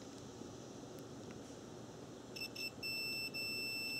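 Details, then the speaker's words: Bench test of a 1997 Nissan Maxima cooling fan relay: direct power is applied and the multimeter is set to continuity across switched terminals 3 and 5. A clean continuous beep after a quiet pause shows the relay contacts closing normally. "making sure that these switches are making a closed connection and that's what continuity does it tests that two points make a connection"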